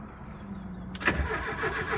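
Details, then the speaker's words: Porsche 924 cranked for the first time after over 20 years of storage, new battery plus booster; starter spins the engine freely with no binding but it never catches or fires; crank-no-start. "It turns. All right, so it's obviously not going to start, but the motor spins freely. That's a good sign."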